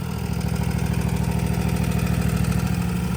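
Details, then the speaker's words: Toro TimeCutter 50" mower with Kawasaki FR691 V-twin at idle: fast, even rattle of about three per second from the rear over the low idle; the deck is later found to need spindles, cause unconfirmed. "She's got a pretty good little rattle back here."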